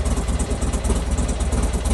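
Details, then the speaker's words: Buell XB12 V-twin after cleaning and regapping the spark plugs: a lumpy, steady V-twin idle with no knocks, running a little better. Plug gaps possibly still slightly too big. Normal idle. "Seems to be running a little bit better as well."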